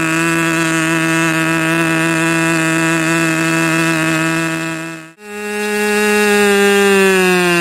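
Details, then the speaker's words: Rebuilt K&B 40 #4011 model engine (new bearings, ring, gaskets), not yet broken in, on 10% nitro fuel with added castor and a 10x6 prop. A high buzzy note at about 12,300 rpm cuts out, then climbs: running rich, needle needs leaning. "you could tell also it was running rich and it was what twelve thousand three hundred something like that"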